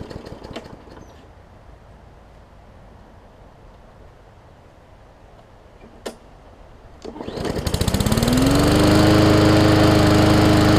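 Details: Hyper Tough Briggs & Stratton OHV push mower, plastic carb, sat over winter with water in the fuel: quiet pulls, then it fires and climbs to a steady, even drone that holds speed cleanly; normal running.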